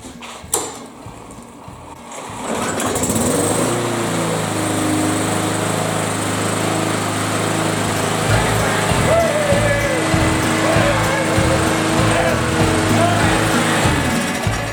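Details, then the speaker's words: Briggs & Stratton push mower after cleaning and reassembling its plastic tank-mounted carburetor, with an extra paper gasket sandwiching the rubber base gasket, started after 3 primes; steady even drone, no misses or surging; runs properly, no leak at carb base. "Look, not leaking either. Not leaking around the base or nothing. Sounds great."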